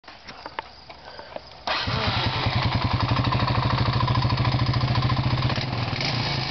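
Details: 2001 Honda FourTrax 350 single-cylinder engine starts and idles with a sharp, regular tick over the exhaust beat; the ticking gets much louder when driving under load.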